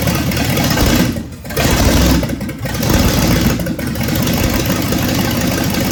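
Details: 1965 Ford Thunderbird with FE 390 V8, just restarted after troubleshooting: loud, even rumble running on its own with a couple of brief dips, no knocks; normal idle.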